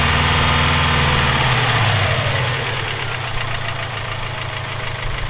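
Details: Subaru EJ257 flat-four at idle: steady evenly spaced deep knock about four per second, holding as revs settle; owner suspects rod knock, unconfirmed.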